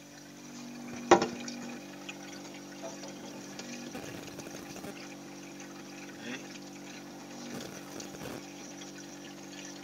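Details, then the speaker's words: Refrigerator being recharged with freon after a capillary blockage: steady hiss and gurgle of liquid over low compressor hum, refrigerant flowing freely through the capillary; filter empty; normal refrigerant flow. "Ini bisa jadi freon bisa jadi potongan ujung kapiler ini tidak rata. Jadi kemudian filter kosong. Tapi ini jelas ini fre lancar ini."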